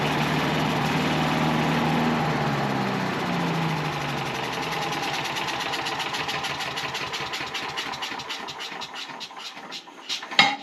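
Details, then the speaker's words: Small engine, oil checked good, started with a little choke: catches quickly and settles into a steady, even running beat that gradually fades out; starts and runs healthy. "So I'm thinking we just fire it up and listen to her run. Turn it on. Let's see if she'll fire right up. Just a little bit of choke."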